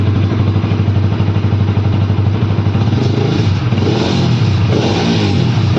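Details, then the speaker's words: Bajaj Pulsar RS200 during home servicing, muffler removed, engine run with the open pipe: very loud, raw, rapid exhaust popping at steady revs with a harsh bark; loud open exhaust. "Guys, মই মানে মাফলাৰটো খুলি ল'লোঁ এতিয়া। এবাৰ চাউণ্ডটো শুনাই দিম নেকি বাৰু? এবাৰ চাউণ্ডটো শুনাই দি আছোঁ।"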